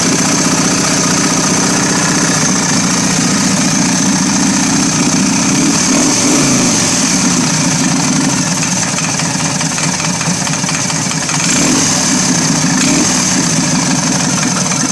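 V-twin idling with a loping beat and a sharp knock, roughly four a second, cause unknown.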